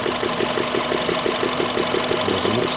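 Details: Warm engine at about 90 °C, around 58,600 km, hot idle: sharp even tick roughly five per second above engine hum, absent when cold; owner first suspected hydraulic lifters, found combustion gas leaking past a loose spark plug.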